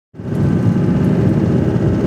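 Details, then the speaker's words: Ford Transit 2.5 turbodiesel at idle, heard from cabin: dense diesel clatter with dull knock; connector slipping off the fuel lift pump lets it draw air and knock. "Вот здесь слетает разъем на насос подкачки. Вот он воздушит насос подкачки, это он так стучит."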